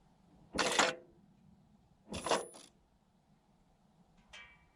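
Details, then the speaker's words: 2020 LADA Vesta SW Cross, 28,100 km, 1.8 engine, AMT 2.0 with Sachs actuators: shifts reverse to neutral to first, manual mode to second, back to first and neutral; short clean whirring actuator bursts, no squeak; normal. "то есть вы слышали переключение время рс из реверса в нейтраль на первую передачу в автоматическом режиме в мануальный режим на вторую снова на первую и снова в нейтрали вот так вот пожалуйста никаких скрипов вы не услышали я надеюсь"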